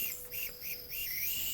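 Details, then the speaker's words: Home-built Farm Boy hit-and-miss model engine after relapping the intake valve, pressurised to about 40–50 psi: thin high hiss with a faint whistle; a smaller leak remains past the intake valve seat, improved but not fully resolved. "40 psi so that's on 50 and you can hear the leak it's certainly not as bad as last time so i've seen an improvement"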